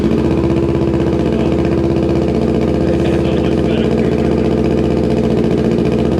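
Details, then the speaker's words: Kawasaki Ninja 650 at its first start after a full Delkevic exhaust install, held around only 3,000 rpm: a loud, deep, steady parallel-twin drone with even firing and no rattles. This is the normal, much louder aftermarket exhaust note. "That's so different. That was only like 3,000 RPMs too."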